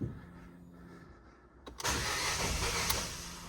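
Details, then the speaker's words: Non-running 2016 Ford Fiesta 1.2 petrol after partial disassembly, first start attempt: sustained raspy cranking churn that nearly catches but never runs; cranks, no start. "oh nearly nearly it's I'm getting so scared let's try again"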